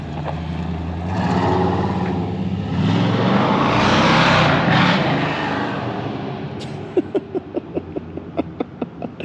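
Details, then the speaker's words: Supercharged (blown) Chevy C10 on its first drive after fixing vacuum leaks, timing and the starter: a loud rising roar with heavy blower rush, then a steady lope. It runs healthy and is much louder than before. "I hope you guys can hear it echoing off all the buildings and stuff. It was never, that thing was never that loud before."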